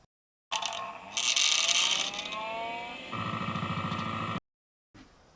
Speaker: It had something that sounded like a rattle inside. Sounded like a loose part.